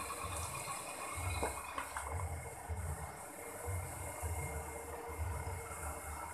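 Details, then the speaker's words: Sanyo PWH-135 water pump after replacing bearings and seal, suction test before installation: low steady motor hum with gentle water pulses, smoother with no rough bearing noise; seal not leaking, normal running. "So the seal also does not leak Then the engine sound is also smoother"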